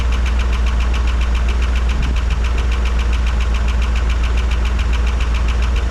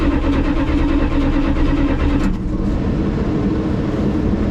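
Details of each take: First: 1985 Dodge D150 with carburetor, running and idling well otherwise: a fast, even clapping tick, three or four a second, at idle. Owner suspects lifter tick but unsure, and checks the oil pressure sender. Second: 1985 Dodge D150 cranked after replacing a bad ignition switch. A strong, even starter churn of about two beats per second holds steadily: the engine turns over normally.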